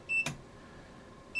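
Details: Two short, clear high-pitched beeps about a second apart over a quiet room as signal frequency is raised to about 15 kHz through a chain of transformers; multimeter overload warning.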